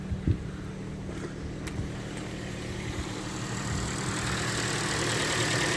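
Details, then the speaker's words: Car with no turbo, DPF or dual-mass flywheel: starts and levels off to a steady, even idle with no erraticness, ticks or squeaks, no pedal vibration; healthy. "Starts up, leveling off to a nice idle. Don't see anything wrong with that at all. No erraticness. I can't feel any vibrations through the pedals as it sits and idles."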